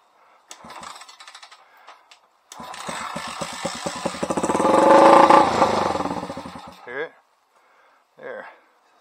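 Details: 2000 Honda XR80R under restoration, spark confirmed, kick starter worn and missing a piece: a few weak kicks, then it fires and rattles up briefly with rising revs before cutting out; it starts and runs.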